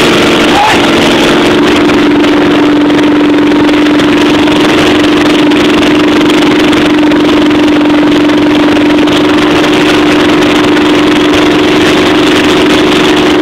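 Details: Chevy 350 V8 in a school-built T-bucket, first start-up after rebuild: steady, even idle with no knocks or misses, smooth and healthy; normal idle.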